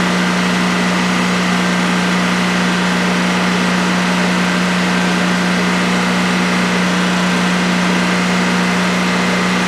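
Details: DuroMax XP15000HX generator in a shed, on its second start after install, running on propane with the exhaust fan off: a steady, smooth hum at constant pitch with no surging or misses during a 5-minute test. Normal generator idle.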